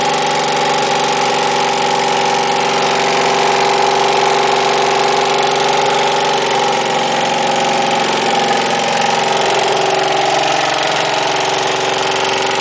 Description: About 10 minutes after starting my rebuilt engine, it suddenly fails. It appears the intake valve on cylinder #1 broke and dropped into the cylinder.